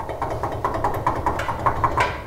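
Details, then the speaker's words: 2005 Nissan Titan front passenger hub spun by hand with the wheel off: dry, rough ticking about five times a second; bearing has a lot of play and is worn out, possibly from stacked wheel spacers, to be replaced. "so it's pretty good indicator that a wheel bearing shot."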